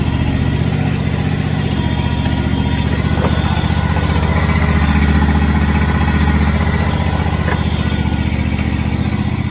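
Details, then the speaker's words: Free, previously non-running John Deere riding mower revived and greased, on a mowing test: a strong, steady low drone with clean, even firing and no misses or knocks under load, normal running. "i just got a really good test the mower i'm very happy with the way it performed"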